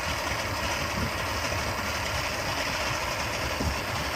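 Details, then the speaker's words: Suzuki 150 outboard that had not run in a while, first start, trimmed down and warming up: steady even idle with low rumble and hiss, no misses or knocks; battery charging, no RPM reading; normal idle. "All right, success. We got it fired up."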